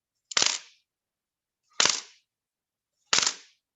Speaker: and if you listen click carefully you can hear that cracking sound so that's what's happening every time i i crack that